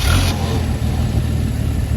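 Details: Mercury Zephyr Z7 GS Fox body after fuel pump work, fuel line left loose to check flow: deep even cranking churn with no misses or clatter; pump now delivering fuel.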